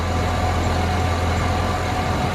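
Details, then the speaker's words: 2007 Chevy Suburban at idle, belt tensioner pulley checked up close, belt glazed: a constant dry whir over the engine drone, a bearing spinning without grease; worn belt tensioner pulley bearing, to be replaced along with the serpentine belt. "I can actually hear the bearings spinning inside that tension I mean you can actually hear that it has no grease and is actually spinning"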